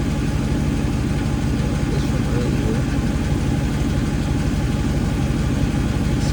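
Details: 2016 Jeep Grand Cherokee SRT V8 after thermostat replacement, warming up with heater blasting: steady, even idle with deep smooth burble, no ticks, knocks or hiss; healthy, no leaks found.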